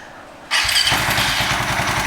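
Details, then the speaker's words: FU 150 fuel-injected motorcycle fitted with an aftermarket Ataka ECU set up for this bike, AFR reading about 12.7–12.8. Quiet, then it fires at once and settles into a steady, even idle with crisp exhaust pulses: normal easy start. "Oke, ini kita start ya, kita nyalakan. Ini udah saya setting sesuai untuk motor saya."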